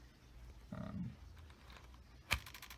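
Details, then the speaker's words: Contax TVS camera with the common torn flex cable between shutter unit and body: a short whir, a sharp snap and rapid light ticks as the shutter chatters; the cable is ripped enough that the shutter is dead. "Oh no, I guess the cable's ripped enough so that the shutter's dead. So the reason why this is happening is that there's a cable that connects the shutter unit right here to the actual body that controls the aperture, the shutter, and pretty much everything that a lens unit wo"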